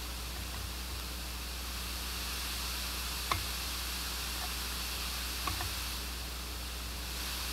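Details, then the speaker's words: New Pioneer GM-D8604 four-channel class-D car amplifier, filters off, no RCA input, gain being raised: soft constant hiss with a couple of faint clicks that grows with gain, unlike the GM-D9601 mono; owner suspects the hiss frequency falls in its amplified range. "so on this one it is possibly because the frequency of that hiss is up in the range where this it amplifies it"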